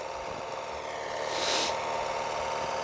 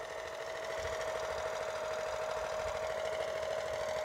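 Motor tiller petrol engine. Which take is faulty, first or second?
second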